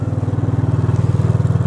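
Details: Gator utility vehicle started after a near-death mishap to check for damage: a quick, even low thump at roughly twenty beats a second with a steady rhythm and no knocks. The small engine runs healthy.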